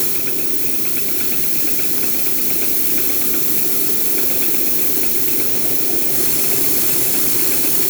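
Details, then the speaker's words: Gas meter FQ 321, G160 3-inch, after maintenance: rotor lobes visibly somewhat damaged, turning well but noisy; steady gas hiss with light regular ticking about four times a second from the damaged lobes. "Ele tá girando bem, mas tá com barulho."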